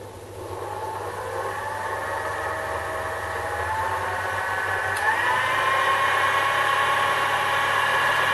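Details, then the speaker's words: Sherline metal lathe running after its resonating wooden base was raised on rubber feet: steady hum winding up in pitch as speed rises, no rattle or drumming; quiet, normal running. "so I'll turn it on you can hear it that's not too bad really that's pretty reasonable I think you know"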